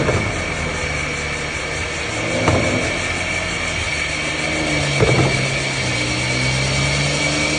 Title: Wavetrac limited slip diff in m140i xDrive clunking sound. What is the cause?